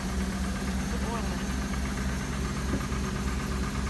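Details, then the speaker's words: Cadillac Northstar V8 cold start at about 20°F, recorded at the exhaust: rough, uneven hard knocking under the low engine drone at cold idle, cause not determined. "listen to that Northstar good lord it's knocking dad you got a bet it's knocking pretty hard"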